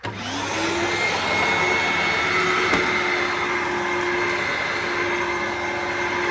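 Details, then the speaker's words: Dyson DC01 vacuum run on carpet after fitting a refurbished sole plate and brush bar with a used belt, motor used years without a filter; spins up quickly, then smooth even whine and airflow, no grinding, healthy. "Pretty well. This thing just keeps going on forever and ever."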